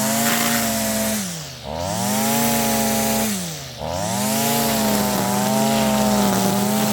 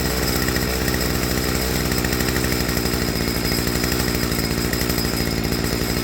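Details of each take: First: Stihl FS55R two-stroke trimmer after a carburetor swap, at wide-open throttle cutting grass: high steady wail that dips twice under load and recovers slowly, slightly soft and burbly; high-speed mixture rich, later leaned about 1/16 to 1/8 turn. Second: Stihl FS55R two-stroke trimmer after a carburetor swap, low-speed screw set just back in from where idle dropped: even, steady buzz with no surging or dropouts; mixture set right, with instant response at wide-open throttle.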